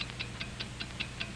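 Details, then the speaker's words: Wind-up watch: crisp, bright ticks steadily at five per second, no skips or double beats; healthy, accurately running movement, normal watch ticking. "it's the ticking of a fine watch wherever you go whatever you do america's fine watch ticks steadily accurately on five ticks every second"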